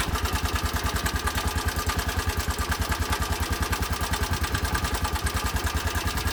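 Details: 2020 Bajaj Boxer X150 at idle gives a sharp, regular metallic knock about 2.5 times a second while the engine shakes violently. Tappets or timing chain were suspected first, but a worn piston rubbing the cylinder walls was found and replaced.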